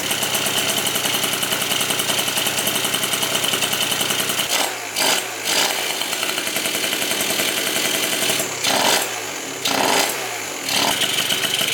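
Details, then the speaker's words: Yamaha Zuma scooter, first fire-up of the freshly built engine after replacing a faulty CDI with an internal ground fault: crisp, rapid two-stroke popping at an even idle with a few brief throttle blips, running clean; normal idle. "Oh, this thing feels good. Let's let it get warm now."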